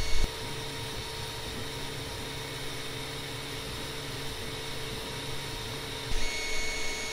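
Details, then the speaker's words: Longer LK1 / Alfawise U20 3D printer modified to run quieter, microphone at a ruler's length from the centred head: steady low fan hum with soft shifting stepper tones, no rattles or knocks; normal printing. "Donc, je vais partir les micros, puis je vais partir l'impression."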